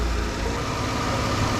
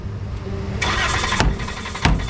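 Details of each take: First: Dodge Caravan that would not start, now running: smooth, even idle with a steady low hum and no misses or knocks; running normally. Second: Dodge Caravan that failed to start: steady starter cranking with loud metallic knocks from hammer taps on the fuel tank, engine never catches; crank no start, fuel pump failure suspected, not confirmed.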